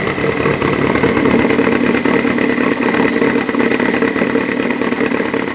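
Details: 2014 Subaru WRX Premium at idle: busy, uneven idle with a clattery, lumpy beat and no steady rhythm; rough idle under diagnosis, cause not evident.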